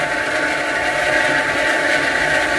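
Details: Sanyo jet pump for the shower, after fixing a pump that ran for over half an hour without drawing water (owner suspected an air lock) by refilling it with water: steady, even, stronger motor hum, no surging or rattling; running normally and drawing water.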